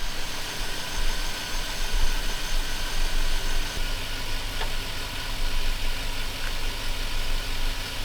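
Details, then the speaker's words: Chevrolet Silverado V8 idling by itself just after starting, warming up, after the disconnected mass air flow sensor was reconnected and the radiator installed: a steady, even low rumble with no knocks or misses. Normal idle. "Truck runs great. It's idling by itself."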